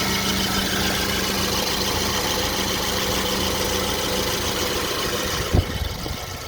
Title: BMW E90 2011 LCI 318i N43 intermittent engine knock pt 3